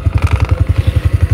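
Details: Honda Supra X 125 FI (KYZ engine), 87 days old, idling: thumps about ten a second with a light buzzing clatter on each beat. Loose license plate bracket shakes, no vibration without the plate; bolts tight but mount seems under-supported. License plate bracket rattle.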